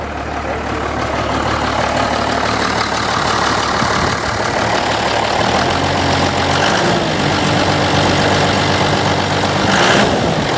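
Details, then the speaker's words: 1986 Ford F350 dually with swapped Cummins diesel, unrun about 6 months, started on one small battery: even idle clatter firming up smoothly, no knocking or misfire; a bit of blow-by, some smoke from tailpipe, good oil pressure, good motor. "Blow by care bit but not much it's a good motor man"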